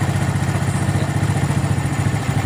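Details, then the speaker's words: Suzuki Smash carburetor setting, idle raised then air screw turned right (closed) until engine nearly dies: low, lumpy idle with uneven sagging pulses; engine near stalling from carburetor air screw closed too far. "lalu setelan angin kita putar kekanan ya kita rapatkan setelah nantinya Hai sampai mesin mau mati ya"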